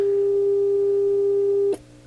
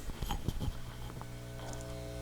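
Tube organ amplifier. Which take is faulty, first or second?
second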